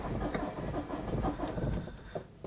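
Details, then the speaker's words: Citroen Berlingo 2.0 HDi diesel, cold start: lumpy, uneven starter churn that skips strokes, then catches and runs rough as if a cylinder dropped; owner suspects a failing injector or compression loss, and it later smoothed out. "you can hear that. That is skipping and missing all over the place. What's up, Bella?"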